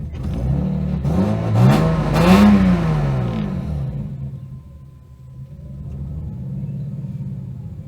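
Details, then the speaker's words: Lexus IS200 drift car after DIY fuel pump work, with the pump heard surging: engine revs briefly, then sags into a low, shaky idle that keeps faltering near stall. Cause unclear. "Oh. It wants to die. It actually wants to die"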